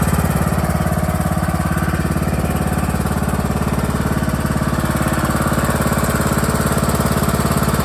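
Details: John Deere E100 lawn tractor running with parking brake set and PTO disengaged: steady thumping about 210 beats a minute, low solid exhaust note; engine smooth and healthy.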